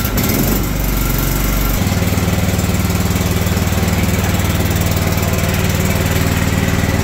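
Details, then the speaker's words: John Deere LT160 automatic mower left outside for years, under 500 hours, cold start at about 32 degrees: short crank, then catches and settles into a steady, even putter; starts cold and runs cleanly. "cold start about 32 degre this evening I do have ignition on good come on"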